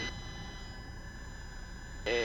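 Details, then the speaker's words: Cessna Skyhawk in a power-off stall, power at idle, nose up about 10 degrees, holding back pressure: low engine drone, then a loud, wavering reedy stall horn warning of the approaching stall before the break. "you can hear that stall horn going I'm holding it holding it holding it"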